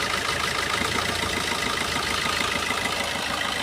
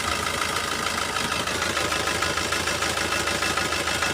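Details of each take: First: Four-cylinder diesel car with all injectors re-enabled after an OBD2 scanner cut-out test of each injector. The idle is steady with an even tick and light hiss and no misses, so all four cylinders are firing. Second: Diesel car idling with one injector switched off through an OBD2 ELM327 scanner app. The idle is rough, with a regular uneven beat about three per second and a shaky rhythm. The disabled injector causes the rough idle.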